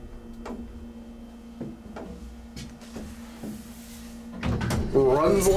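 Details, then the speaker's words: Antique 1950s-60s Sound (Rotary/Dover) hydraulic elevator, 1200 lb capacity, Alki Sands, Seattle, riding up to floor four: steady low pump hum, light cab clicks, pretty quiet; normal smooth hydraulic elevator run. "oh yeah look at this gal black buttons it's pretty quiet I think it's coming yep here it is"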